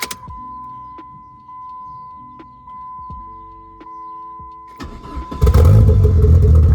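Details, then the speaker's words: 500 hp big-turbo Neon SRT4 first start after fuel pump wiring, immobilizer fix and fuel tank install: dash chimes, engine catches cleanly and settles into firm even rumble with no misses, healthy. "startup. She needs some E for sure though. No doubt. Sounds healthy though."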